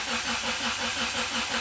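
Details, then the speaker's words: Evo-based show car, first start attempt, cranking about 10 seconds with injectors off to read sensor data: even, steady slow cranking at 165 rpm with no firing; cranking is normal. "full running pranking at 165 rpm all right so this is good that's very good"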